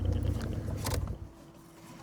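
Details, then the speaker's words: Peugeot 206 with a VR6 swap on its first run: the engine idles low with a faint, thin fuel-pump whine that comes and goes; the owner doubts the pump delivers enough fuel, unconfirmed. "Tuentends ? Ouais, si elle fonctionne. Mais est-ce qu' débite assez là ? parce que un coup elle fait du bruit, un coup elle fait pas de bruit, ça se trouve elle débite pas assez cette [ __ ]"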